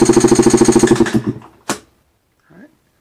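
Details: 2021 Beta 200RR two-stroke, about 2.5 hours, plug out, cranked on starter with throttle wide open for compression test: strong even pulses about three per second, then stops; about 168-170 psi, healthy baseline.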